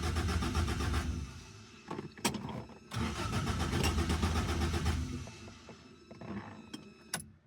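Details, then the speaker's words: Rebuilt Toyota 4AGE in a 1975 Corolla KE35, first startup: starter cranks and the engine catches roughly, stumbling and dying, with a fuel smell; hard start from fuel feed and return lines fitted the wrong way round. "That doesn't quite sound right. I smell fuel. I might have got them lines around the wrong way."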